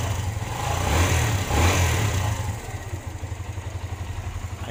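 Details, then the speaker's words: Kawasaki Barako 175 single after repair of its hard starting (spark plug): a brief rev dies back to an even idle of about four firing beats a second, no misses or loud tapping. It now starts in one click and runs clean. "Ayan guys, 1 click na ngayon. Kanina hard starting siya."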